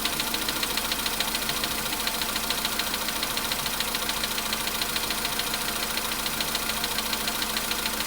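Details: Cold-start engine knock on a VW Polo Sedan: fast, very regular light knocking about three per second over cold idle; knock fades as engine warms, nearly gone by 4:40 at 55 degrees.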